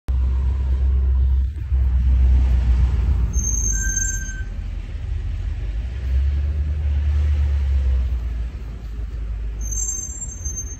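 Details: BMW M5 Competition rolling over low road rumble: short high-pitched brake squeaks come twice, several seconds apart.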